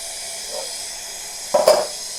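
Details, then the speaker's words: Brand-new electric A.O. Smith water heater (owner thinks 40 gallon) with a low water pressure complaint, filling up: a soft steady hiss of air escaping the open line with a brief gurgle. This is normal venting of trapped air during fill. "So it's not quite full yet, but you can hear the air coming out of it."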